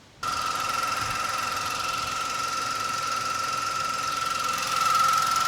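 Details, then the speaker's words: VW Polo salvage rebuild after fixing an oil filter housing leak: steady high-pitched whine over the running engine without pitch change, coming from the belt area; tensioner suspected, not confirmed. "That engine doesn't sound so nice. There's this sound, but I think it's coming from the belt area. Maybe it's a tensioner or something."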